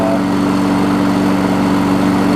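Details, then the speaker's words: 22-year-old 5hp Briggs engine on a 2014 Weed Eater push mower deck. A steady, smooth single-cylinder drone holds one pitch without surging or stumbling, a normal healthy idle. "It's hard to believe that the engine on this thing's 22 years old and still runs great."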